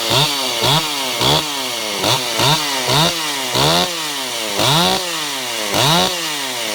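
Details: Ported Stihl 028 Wood Boss, weird run condition fixed by adding a gasket between carburetor and intake, tired clutch springs; crisp throttle blips about once a second, revving cleanly and dropping back to steady idle: normal running.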